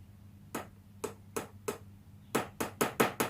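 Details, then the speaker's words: Squier Stratocaster after simple maintenance, plugged into an old refurbished amp, testing each pickup via five-way switch: clean sharp taps with steady hum behind, no crackle or scratchy pots; pickups working fine. "we'll test out the pickups in it and make sure everything nothing scratchy in the pots and stuff like that no scratchy noises"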